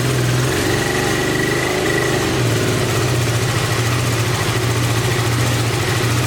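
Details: 1986 Honda VT500 Shadow V-twin, revived after years sitting, idling while warming up: uneven lumpy idle with low hollow beat and rhythm dips; rear cylinder not firing, owner suspects ignition coil or mice-eaten coil wire, unconfirmed.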